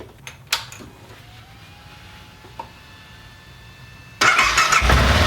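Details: 2014 BMW G 650 GS single, started just after an oil and filter change with the oil only partly topped up: a quiet background, then the starter catches and the engine settles into an even, steady idle. Normal start and idle.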